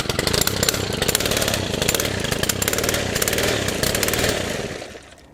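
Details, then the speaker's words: Stihl FS100 brushcutter, 4-Mix four-stroke engine on oil-fuel mix, started from cold with fresh fuel, at wide open throttle with choke off: it rasps unevenly, missing and surging before dying. Fuel starvation or the air filter was suspected; the cause was a slack throttle cable and loose valve clearance. "So that was wide open throttle with the choke off, and you could see it was spluttering, dying. Makes me wonder about a couple of things."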